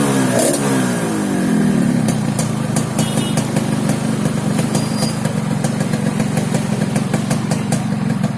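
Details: Yamaha RX King two-stroke revving then settling into a rough, throaty low drone with raspy crackle; snoring engine noise, carburetor noted slightly wet, cause unclear.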